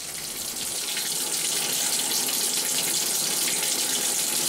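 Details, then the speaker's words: Tap running after flushing the water heater and reopening the water supply, letting hot water flow to purge air from the tank and lines. Steady, even hiss with no sputtering or coughing of air. "once you have it going coming through the sink or the tub then that's what you want to let it flow a little bit more to get the air out of the"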